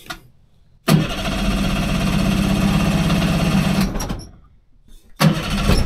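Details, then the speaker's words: 30 hp outboard on a 14 ft alloy boat, sat in a barn for years, both cylinders getting fuel: catches and runs about three seconds with an uneven, lumpy beat, then dies; one plug shorting out with no visible spark, fixed by a new plug. "I can hear that sparking but I think it is shorting out in there somewhere cuz I can't actually see the spark there"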